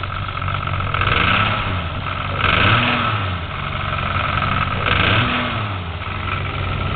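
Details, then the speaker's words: Toyota Supra 7M engine, the black car used as the healthy comparison to a similarly modified 7M with rod knock; smooth even revs off idle with no knocking underneath. Normal revving. "mean it's curring nice idle was off real smooth real smooth too I mean I was up real smooth"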